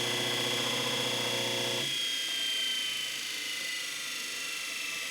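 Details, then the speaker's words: Overhauled 1 hp single-phase repulsion-induction motor (Delta 1160 saw/654 jointer, 1937-41) on 110 V, refurbished commutator and new bearings, brush angle increased: steady high whine and even hum, starts unaided, runs smooth, no knocking. "it didn't have to help it start it up sounds good running smooth as can be"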